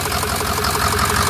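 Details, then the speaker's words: Flatbed truck at 213,379 on the odometer: rough, uneven idle with a lumpy, stumbling misfire that is getting worse; it still starts right up. "it's definitely getting worse they used to run good when it's sitting idle no it's not awesome but it still runs starts right up"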